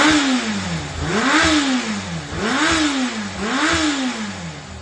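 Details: Yamaha XJR400 (4HM early model) inline-four engine assembly, high compression measured, no abnormal noise or white smoke: four throttle blips a second apart, revs climbing and falling cleanly, no rattle or knock; healthy.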